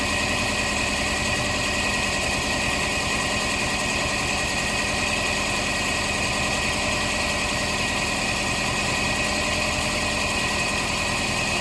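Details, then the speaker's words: 2001 Toyota Echo 1.5L 1NZ-FE, 283,385 miles, lacking power, idles with uneven stumbling exhaust beat; cylinder 4 runs cooler than others, a single-cylinder misfire. "As you can see, we have one cylinder that is running a little cooler than the others, and that would be cylinder 4."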